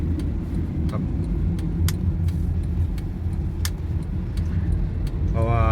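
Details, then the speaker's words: 2009 Honda City, over 200,000 km, AC compressor clutch never replaced before, clutch shorted and blowing fuses, after replacing the clutch plate: steady low idle with AC engaged, no chatter or grinding, AC cold again. "ตอนนี้ก็ออกมารองนะครับแอร์ก็เย็นปกติครับ"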